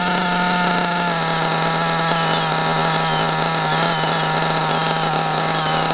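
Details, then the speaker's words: Hobao Hyper 7 buggy, Mac 28 nitro engine, high-speed needle turned counterclockwise to a very rich setting: a steady high buzz, revs flat without crispness, lots of blue smoke, and a sluggish car far short of its roughly 40 mph when tuned. "see a rich set look at all that smoke and just look how slugish this car is that's not rich this that there is tooy [Applause] that is a very very rich very very rich"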